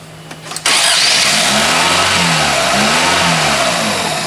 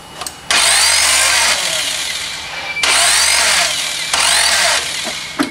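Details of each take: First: Chevy Cobalt after timing belt replacement, fifth or sixth start attempt with cam timing corrected: starter whirs briefly, engine catches cleanly and settles into a steady, even idle with no knocks, ticks or stumbling; normal start and idle. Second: Chevy Cobalt after timing belt job, distributor cap just refitted, battery running down: three long cranking spells, starter whirring hard, engine coughs but never catches and runs; cam timing set incorrectly.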